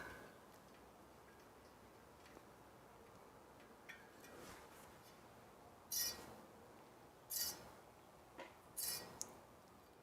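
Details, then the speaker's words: Bianchi San Jose bicycle wheel knocked out of true after a spoke nipple snapped while riding; during truing, one half turn on the opposite-side spoke still leaves a faint tick once per wheel turn as the rim brushes the gauge. "If I tighten that spoke, since it's on the other side of the rim, it should pull the rim, this area, this section of the rim towards that side if I tighten this. So, first I'm going to start out with just one half turn. Let's see if that helps. Can still kind of hear it."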